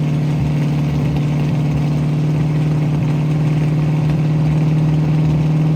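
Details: 1967 Mustang V8 after new fuel sending unit, blown-out fuel lines and repaired carburetor needle and seats that weren't supplying fuel; steady even idle with smooth low rumble, no misses or surging.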